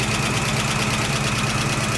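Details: 1969 AMC Javelin 290 V8, carburetted, cold start after sitting about six months: fast even light ticking over a lumpy idle; a lifter is suspected of needing to pump up. The accelerator pump is also leaking fuel.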